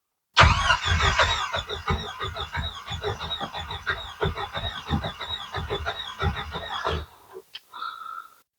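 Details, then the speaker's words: Jeep YJ Wrangler 2.5L no-start: starter spins the engine with even compression pulses for about six seconds but it never fires; gauges light, compression sounds good; fault traced to a failed fuel pump relay. "all right so the motor turns over sounds like we've got power to the starter all the gauges light up um I'm not sure how much you could hear from the motor while we were cranking it but it does sound like pretty good compression"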